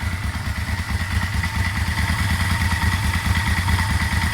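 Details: Vmax engine idling. Oil pressure was about 50 cold and below 20 once warm, and the owner suspects oil pressure. A light, even knock about twice a second appears as it warms, mainly on one side; the source is unconfirmed.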